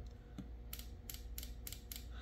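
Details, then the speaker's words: Yamaha Waverunner FXHO/FX140 MR1 engine, injector number one bench-tested on the craft with direct battery power: sharp single clicks, about five in two seconds, over a faint hum. The injector is working normally. "Now, we should be able to tap the battery and listen to this injector down in this corner. Don't want to touch those two together, to see if we hear a click. I hear it."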